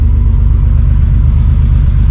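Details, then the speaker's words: Holden VL Turbo Commodore after timing belt install, started cold: deep, even low rumble with a steady firing beat, no knocks or ticks; strong oil pressure, healthy cold idle. "it's definitely pretty cold but um fired up first guy got monster oil pressure"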